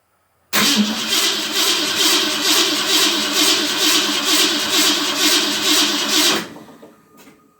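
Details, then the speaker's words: 1990 Classic Roadster kit car (62 Austin Healey replica), Ford 302, first start with new fuel pump, plugs and wires in, splash of gas down carburetor: starter cranks steadily about six seconds without firing; suspected no fuel in carb yet. "no fuel in the carb yet"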